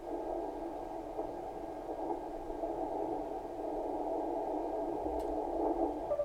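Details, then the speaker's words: Kenwood TS-520 receiver after power cord replacement, receive check: hiss narrowed to a midrange band with a faint steady tone; the CW filter narrows reception properly. "Sounds like the CW filter works."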